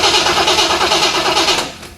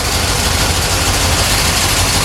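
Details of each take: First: 1970 Corvette C3 that won't start after under-hood upgrades; the starter spins the engine at an even beat but it never fires, then winds down; spark tester shows no spark, new distributor suspected faulty: cranks but no start. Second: 1970 Corvette C3 with poorly done under-hood upgrades, back running after a no-start: smooth, even idle with a steady low rumble and no ticking, clatter or knocking from the valvetrain; camshaft change unknown.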